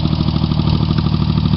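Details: Rebuilt Chevy Sprint 1.0 L three-cylinder factory turbo, straight pipe with two cherry bombs, after a cold start: steady idle with a light even tapping from valves set loose; owner plans to tighten valve lash.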